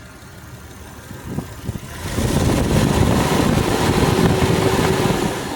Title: Jeep wj amc 242 ticking sound